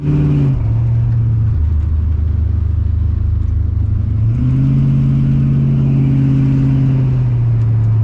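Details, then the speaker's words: TH350 automatic transmission after replacing the governor gear, new filter and fluid top-up, on road test: engine note rises then drops cleanly at each upshift, all three gears present, no slipping. "actually it still shifts nicely doesn't slip or anything stupid like that"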